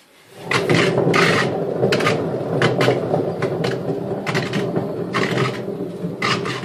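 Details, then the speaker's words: Daewoo washing machine, drum removed during disassembly and turned by hand: rough, gritty rasping grinds in bursts from worn-out drum bearings before replacement. "Bueno antes de continuar les mostraré cómo suenan unos rodamientos en mal estado y ya verán como no les será difícil apreciar la buena"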